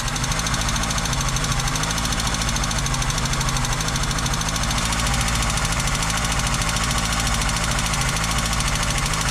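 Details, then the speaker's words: Cold VW Golf 2 (carburetted) idling after first start: fast, light, steady metallic ticking from the top end; owners think it is not the injectors but maybe the tappets (poussoirs), cause unconfirmed. "c'est pas les injecteurs c'est peut être que les poussoirs"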